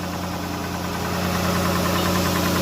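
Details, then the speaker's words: 2015 Dodge Grand Caravan at steady idle: faint light tapping from the rear of the engine; broken rocker arms and collapsed hydraulic lifters found and replaced. "So I could barely hear the tapping. It sounds normal for right now, but yes, there is a tapping sound in this engine."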